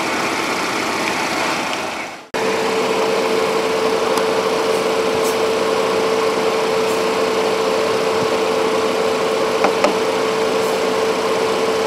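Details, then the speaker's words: 2016 Cadillac SRX at idle with AC on, after replacing AC pressure switch: engine idles smoothly under steady, even condenser fan hum holding one pitch; fans kicked in at good speed, normal. "all right so running the same full ac fans kicked in good fan speed"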